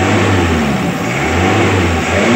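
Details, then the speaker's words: Daihatsu Zebra carburetor with reshaped flat-surface jet, just started: revs normally higher up but initial throttle pickup is soft and hesitant, fuel arriving late; jet hole slightly too small. "sebenarnya kalau digas sudah normal tapi untuk gas awal ini [Musik] kawan kurang besar Sedikit nih kawan"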